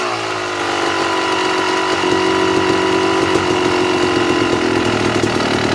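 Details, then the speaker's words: 2009 Yamaha YZ250 two-stroke: air screw backed out a further turn and a half, idle climbs and hangs high with a thin buzzy tone; sucking more air through the carburetor, lean high idle. "all i did was adjust the air screw i turned it out another full turn and a half and the idle was picking up which means it's sucking more air through the carburetor which is not good"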